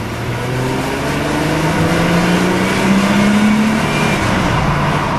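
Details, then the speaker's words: 2000 Mercedes-Benz C240, 76,000 km, heard through an open window while pulling away, echoing off a wall: smooth engine note rising evenly, no knocks or rattles; accelerates flawlessly, engine healthy. "you can see it just accelerates flawlessly and the braking is superb"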